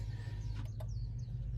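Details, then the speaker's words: 2017 Ford F150 during rear brake pad replacement: scan tool electric parking brake service procedure, low steady hum from the rear as the parking brake motors release to service position; normal release. "See, you guys can hear the parking brake in the back humming, and this is releasing the parking"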